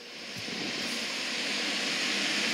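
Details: AirCare HD1409 whole-house humidifier after repair, float switch up hitting the switch, just plugged in and powered on: fans spool up into smooth steady rushing airflow with no rubbing, ticking or hum; running normally.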